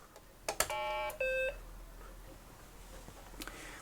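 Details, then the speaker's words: BBC Micro Model B at power-on after servicing its no-sound fault: a couple of clicks, then two short steady beep tones; normal startup beep, speaker circuit working. "This machine should make a beep beep when it starts up."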